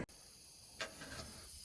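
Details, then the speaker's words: Carrier 4-ton R410A central AC with low pressure error, evaporator coil in attic under nitrogen test: faint steady high hiss; leak at cracked TXV nut on the aluminum evaporator coil. "Look at that. The TXV nut cracked. See that? I don't even gotta spray it down. We know it."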